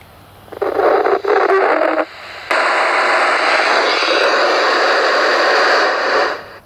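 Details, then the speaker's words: Yaesu FT-817 with tactical antenna and fresh batteries, receiving from repeater GB3VH: loud hissing static with a faint whistle riding on it. Owner doubts the batteries or antenna are to blame; cause not yet found. "if i do it on this radio the ft 817 you'll hear that a lot of static noise comes back and whistling noises"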